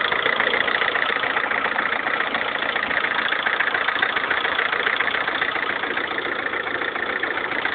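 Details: 2011 Lada Kalina 1.4 16-valve, 20,000 km, sudden overnight tractor-like knock; steady idle with regular hard tapping three or four a second in time with engine; piston knock, cured by dealer fitting piston-rod group of different size class.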